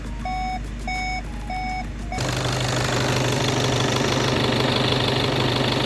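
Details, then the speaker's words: VW Passat B8 2.0 TDI EA288 (DFGA) diesel after repair, cold start for warm-up without VCDS coolant bleeding, about 7 L coolant in system: warning chimes, then steady even idle, no knock or misfire; normal. "And now I will warm up engine without bleeding coolant system with VCDS."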